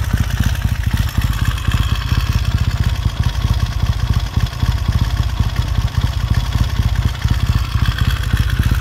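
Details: 1969 Triumph T100C twin, freshly rebuilt, started cold on one kick and warming up: lumpy, even twin beat with a few quick blips that pick up and settle cleanly, no clatter; healthy running.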